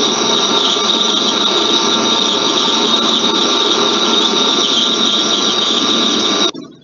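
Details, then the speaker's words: Rolling bearing squeal: a steady, piercing, high-pitched squeal with a metallic crackling edge, then it stops. "so how do you describe this kind of noise it's it's it's really okay it's definitely annoying warring that's fine it looks like be metallic"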